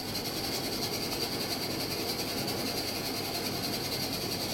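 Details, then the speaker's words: Washing machine under test running a normal descaler wash: constant rushing hum with a fixed high tone, no clunks or scraping; motor running normally. "that noise is fine it's the motor"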